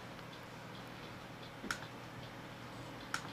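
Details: 2.5-inch 320 GB faulty hard drive on a Salvation Data power supply, before recovery with Data Compass: faint whirr with sharp single clicks about 1.5 seconds apart; slow to be recognized, data cannot be read.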